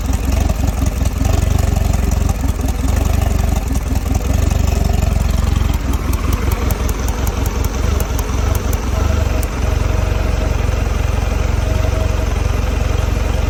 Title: 2022 Mercury 150 rough idle